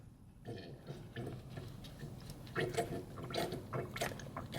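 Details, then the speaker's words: 1997 Toyota Tacoma 4WD: irregular wet sloshing and squelching as the rack-and-pinion boot is squeezed; boot full of power steering fluid leaking past both worn internal rack seals. "there is a fluid in this one too you can hear it it's slashing slashing what's the word for that it just is full of leaking fluid it's really bad"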